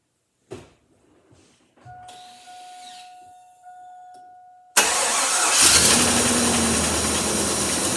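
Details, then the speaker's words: 1999 Chevy 1500 V8 truck, 76,000 miles, Michigan, cold first start after sitting a very long time: a few clicks, brief crank, then rough running with raspy uneven exhaust ticking, a manifold leak; no check engine lights. "luck so well that wasn't the smoothest running engine i've ever heard but it has been sitting for a very long time"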